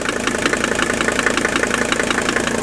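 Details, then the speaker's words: Mercedes 300TD turbo diesel wagon, warmed up, idling and just off idle with water poured on belts to quiet belt squeal: sharp, regular, evenly spaced knock; suspected internal piston knock versus loud injector, diesel purge planned to isolate. "now that'll quiet the belts down enough just to hear this knock you hear that knock right there"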